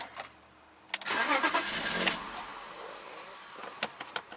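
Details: 1995 BMW 325i sat unused four years, ignition switch, housing and tumbler just replaced, MAF unplugged: fires, flares briefly, sags and fades into stray pops; won't idle cold, owner suspects clogged ICV and/or throttle body vacuum leak.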